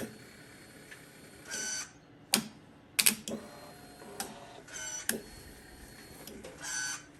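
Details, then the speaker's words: 2006 Yamaha R1 from a crash, running the tank from a 2005 R1: fuel pump primes with a short buzz but the starter only clicks and won't crank; fuses checked, owner suspects the battery and swaps in a known good one. "It's just clicking."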